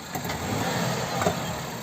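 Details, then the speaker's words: Renault Clio front suspension loaded on a ramp: a few dull thumps over quiet idle, also heard over bumps and when reversing; front shock absorber oil-stained with rust inside, likely drained of oil and loose, to be replaced. "indicates that the problem is the shock absorber itself, it is likely that it has been drained of oil because it has rust inside."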